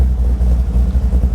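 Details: Big-block 540 V8 with new Edelbrock VRS 4150 850 CFM carburetor, fully warm after idle mixture screws tuned by vacuum gauge and AFR: deep, low, steady even burble with no misses; normal idle.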